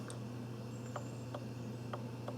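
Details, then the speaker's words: Volkswagen Jetta secondary air injection diagnosis, solenoid valve energized with jumper lead to battery negative; faint sharp audible clicks, four or five in two seconds, over steady low hum, not very loud; switching normally. "okay now what we should be listening for is that it's a click an audible click"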